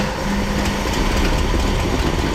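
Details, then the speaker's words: 1966 Ford Thunderbird 390 big-block V8, first start after long sitting, fed fuel into the carburettor bowl, idling to warm up before an oil change (oil very black); deep, steady even rumble, no misses or knocks; normal idle. "all right so what we're doing he's gonna work throughout a little bit and we're gonna get a heat cycle in here get the engine at operating temperature because we need to change this oil"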